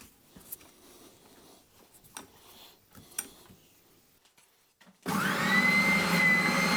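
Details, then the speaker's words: Draper oscillating bobbin (spindle) sander, 10–12 years old, test run after replacing the drive belts to fix poor oscillation: a few quiet knocks, then the motor starts and holds a smooth, even whir; running normally, seemingly as good as new. "Okay, all fixed and up and running and seemingly as good as new."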